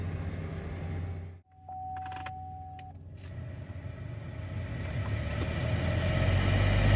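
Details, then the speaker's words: 2013 Chevy Cruze cabin blower after removing a cabin air filter clogged with a rodent nest: airflow much improved as the fan spins up, but a rough droning roar remains; the original blower motor is still noisy and gets replaced. "definitely have a lot more airflow than we did what a difference still a little bit noisy so um let's get this blower replaced"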